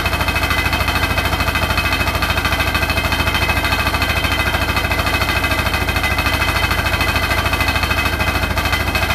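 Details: Hotpoint NSWR843C washing machine on final 1200rpm spin: a hard, even rattle hammering about three times a second, loud over the motor; the cause of the loud rattle is unknown.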